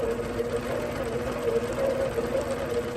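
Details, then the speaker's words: APQS longarm quilting machine with Quilt Glide on, overriding the stitch regulator, low speed. A smooth, even motor whir with an unbroken stitching rhythm, the needle cycling constantly, audibly different from regulated mode. Normal steady running. "What it does is override your stitch regulator. You'll hear it. Hear the difference?"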